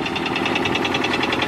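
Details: Honda Civic EK idling petrol engine with a steady, sharp knock about eight times a second, suspected rod knock, not confirmed. The car was still driven home.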